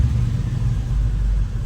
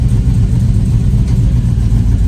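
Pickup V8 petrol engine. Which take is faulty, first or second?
second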